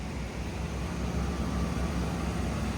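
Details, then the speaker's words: 1979 Cadillac Seville after fitting new exhaust flange and welding to rusty tubing: smooth deep even idle with no puffing or ticking; exhaust leak fixed. "Yay! It doesn't sound like poo anymore."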